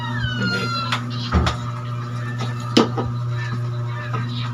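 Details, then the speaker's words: Washing machine that hummed but would not spin, after replacing the capacitor (timer was fine): steady low motor hum with a few light clicks and bumps as the tub now spins normally. "Yun oh umikot na t saka timer Okay na yun nakita niyo guys Di goods na yung washing natin ngayon"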